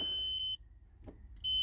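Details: Mercedes Sprinter with a short to ground, probing a wire with a continuity tester: steady high-pitched buzz cutting out and back as probes touch; wire continuity confirmed, fuse box suspected faulty.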